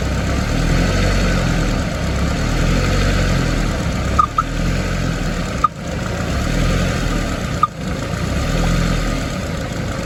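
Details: Escort RS2000 Cosworth replica, warm, after re-bleeding the cooling system with heaters on; a Radweld clog and an airlock/thermostat issue were suspected. Steady, even low idle rumble with only faint clicks: normal idle.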